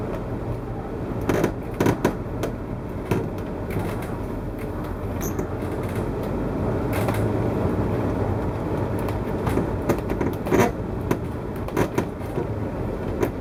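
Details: 2014 Winnebago Tour motorhome, recorded while driving: road rumble with sharp irregular creaks and cracks about every second, like misaligned parts rubbing and flexing, sounding as if the slide-out is coming out; owner blames poor build quality, cause unconfirmed.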